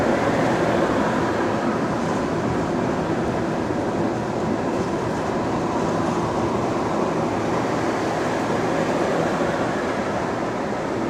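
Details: Recorded on a GAL EBD67 bus on route SL4 after the creaking suspension was fixed: a steady low road rumble and drivetrain hum, with no creaking over bumps. The ride is normal.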